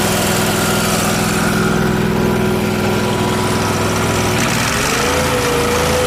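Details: Miller Trailblazer welder engine after fitting the vacuum-operated fuel pump: smooth even drone stepping down cleanly in speed, no stumbling or surging; pump was the fault, mixture screw did nothing.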